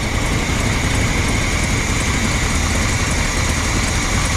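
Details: Rig bought in Washington for a 1900-mile drive home, started after a plugged filter and a mouse nest in the intake were cleared: steady, even low idle rumble with no misses, knocks or hunting, settling and running smoothly.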